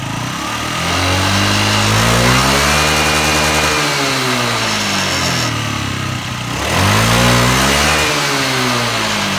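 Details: Yamaha Jog ZR scooter (SA36J/SA39J), about 9,000 km accident bike, after repair of an abnormal engine noise: single cylinder idles evenly, then revs up and back down twice smoothly with no knocks or rattles, a healthy engine.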